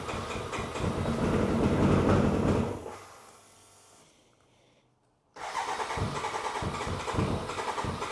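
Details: BMW K100 cafe racer project, first start after flushing bad old fuel with fresh: catches and revs, drops nearly silent briefly, restarts into steady pulsing idle with no knocking or ticking.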